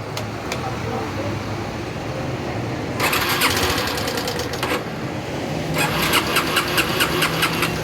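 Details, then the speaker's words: 2008 Yamaha Fazer 250: couple of rough tries to fire, then busy uneven clattering rattle from engine; hard starting and bad noise, mechanic suspects camshaft/valve train, top end to be dismantled. "ela tá fazendo barulho muito ruim aí no motor muito feio aí vou ligar ela aqui"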